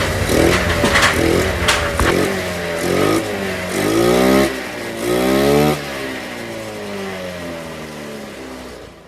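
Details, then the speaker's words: Honda Beat scooter after reattaching the hissing intake hose to the air cleaner: blips up and settles back to a calm, steady idle with no rattle or hiss left; running normally. "Yan, tumahimik na. Okay na siya mga kagrasa."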